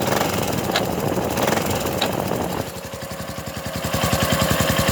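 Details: 2007 Honda Foreman 500 running with a quick, fairly even train of hard clunks from under the front cover, apparently from the centrifugal clutch; cause not confirmed.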